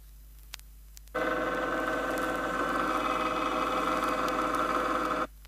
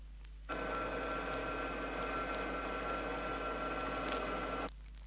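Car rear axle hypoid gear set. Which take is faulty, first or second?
first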